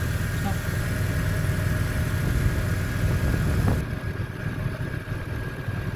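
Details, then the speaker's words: Car engine that idled rough and high (about 1700–1800 rpm) now settling to a smooth, soft, even idle stable at 950 rpm after the fix. "यह question भी engine बिल्कुल अपनी जगह पर आ गया बिलकुल smooth soft खड़ा हो गया"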